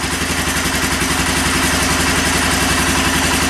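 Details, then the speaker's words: Kawasaki Lakota 300 after top-end rebuild: even steady single-cylinder idle about four beats a second, no misses or tapping, no smoke; running healthy. "Look, no smoke. We fixed it. Awesome. Sounds good."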